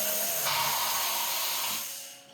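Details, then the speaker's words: Haas CNC mill through-spindle coolant (TSC) after new drawbar installed: steady high hiss of coolant spraying through the spindle, no growl underneath, then tails off; previously growled badly whenever used, now working properly. Spindle orientation still pending. "That sounds good to me. It's working."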